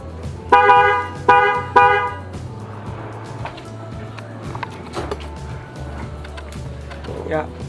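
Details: Newly installed waterproof Denso trumpet horn on a car, mounted behind the front grille and fitted plug-and-play without an extra relay or harness, heard from outside the car: three clear, strong blasts with steady pitch and clean cutoffs, a healthy loud horn.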